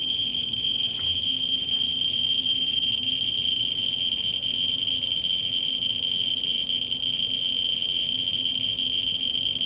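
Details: Ludlum 14C with a Ludlum 44-3 gamma scintillator probe close to a smoke detector's americium source: clicks run together into one steady high-pitched tone as the counter saturates, flattening at about 120,000 counts per minute.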